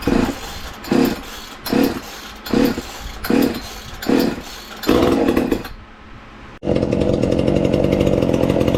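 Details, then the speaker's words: Ported 2375 chainsaw, modest-compression build (perhaps 140 psi), running on pump gas before a methanol conversion: blipped about once a second, then held at a steady high scream; revs pick up crisply and run clean and even. "i'm gonna fire it up if it will here today on the pump gas just to maybe have a comparison of how it sounds"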